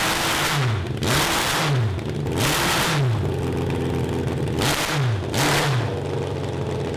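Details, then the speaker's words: 1982 Honda CB750 carbureted four (cross kart), after jets drilled: revs climb, then flatten and break up, never pulling past about 4000 rpm, with fire from the exhaust, no black smoke and no rich smell. The owners suspect it is running lean. "it doesn't smell overly rich though now i don't see black smoke either yeah i mean it's blowing fire out of the exhaust too just to me that seems like a lean issue"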